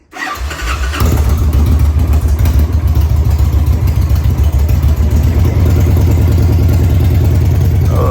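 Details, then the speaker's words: 2003 Victory Vegas 92ci/1507cc V-twin, first start with slip-on mufflers removed: catches within a second and settles into a loud, deep, lumpy idle that stays even and steady; sounds healthy. "That sounds kind of good. Sounds really good, actually."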